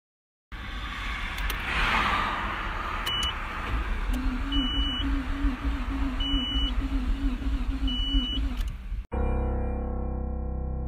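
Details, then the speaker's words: Nissan Skyline R32 that suddenly stalled while driving at normal speed, the owner calling it an engine blow: the starter cranks weakly, slowly and unevenly under repeated warning chimes and the engine never catches; a bad battery was first suspected. "Like you just saw, cell motor became weak. At first, I doubt that was happened because of the bad battery."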